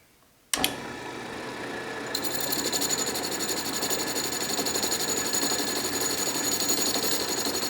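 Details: Restored 12-inch Atlas Craftsman metal lathe, deeper test cut in scrap brass, lathe not yet leveled or bolted down: motor spins up evenly then steady crisp cutting hiss, no squeal or rattle; normal clean cut.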